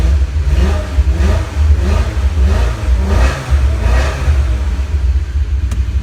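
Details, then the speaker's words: 2002 BMW E46 M3: deep, lumpy exhaust with uneven dips as it revs, like a cylinder dropping out; owner hears a slight miss and suspects a bad plug wire, running on seven cylinders, unconfirmed. "you have a bad plug wire or something you get that a little miss it sounds weak when we run out in seven cylinders right now"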